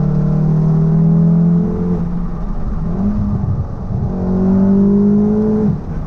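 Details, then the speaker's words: 500+ BHP MK7 VW Golf R after fitting ECS Tuning engine and gearbox mounts, driving on a private road: deep, steady five-cylinder-like exhaust drone rising and falling with throttle, with low body vibration and no knock; stiff mounts transmit engine vibration that deepens the exhaust tone. "The vibration is that, it's like, you can hear the vibration, but it changes the exhaust tone to like a really deep tone."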